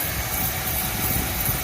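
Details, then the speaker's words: VW Routan/Caravan, customer reported a worn-brake-like noise; brake pads and clips checked and not scraping: continuous low rumbling drone traced with a listening hose to the wheel bearing. "el único que está arrastrando es el balero"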